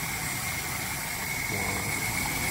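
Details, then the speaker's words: Suzuki Esteem 1300cc just after a DIY carburetor service, first start without throttle while not yet warm: soft even idle with a steady hiss and faint high tone, no stumbling. Idles fine. "bisa langsam Hai langsung enak ya"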